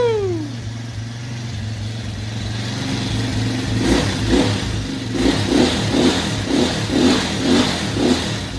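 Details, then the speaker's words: Quad pulled from the trash, believed to have a GY6 engine, first start with the carburetor uncleaned: a lumpy idle, then sharp throttle blips that rise and fall cleanly; it runs and revs freely. "well guess what it runs woo"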